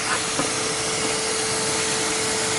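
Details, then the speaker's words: 2005 Toyota Corolla S exhaust manifold, leak test with a shop vac blowing into the exhaust and soapy water: steady vac roar with a thin constant whistle and bubbles at two spots; cracked exhaust manifold leaking. "so it looks like this exhaust manifold is leaking in a couple places"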